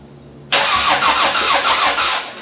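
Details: 2001 Camry engine swapped into a 1994 Camry wagon derby car, first start on ether with a weak battery: starter catches and the engine fires abruptly, surging in a few even pulses before settling. Clean start, timing sounds right.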